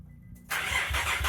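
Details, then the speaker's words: Nissan Pathfinder idling after new spark plugs and reconnecting the cylinder five plug: catches after a short crank and settles into an even idle with no skipped beats, no misfire now; still slightly rough, cause unknown. "um but it's definitely not misfiring anymore and it's running way smoother"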